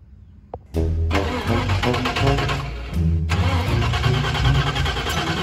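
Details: Turbo 331 small-block Ford Foxbody Mustang with the battery relocated to the rear: a few seconds of quick, uneven cranking before it finally catches and runs rough and loud; slow to start.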